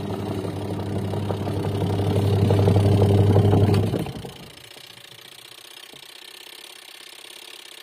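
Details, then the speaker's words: Washing machine after repair, motor test-run: steady low hum builds smoothly for about four seconds, then winds down cleanly with no grinding; runs normally. "यह photo की पूरी तरह ठीक हो गई है इसमें कोई दिक्कत नहीं है"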